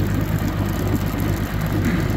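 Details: Evinrude G2 200 HP outboard after descaling with Rydlyme and clearing foreign objects that blocked cooling water and triggered code 25 EMM temperature fault. Steady deep even drone, no surging, knocking or rattles; normal running.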